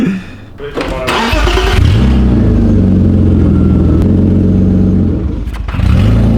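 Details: BMW E36 drift car after its catalytic converter became blocked: cranks, then catches into a harsh, booming, insanely loud idle with a raw edge, an open exhaust with the cat out; excessively loud exhaust.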